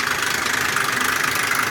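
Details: 2001 Ford Explorer Sport 4.0 SOHC at rough idle: harsh, fast metallic rattle that does not let up, with low compression on all three right-hand cylinders; owner suspects the rear right-hand timing chain or cam sprocket.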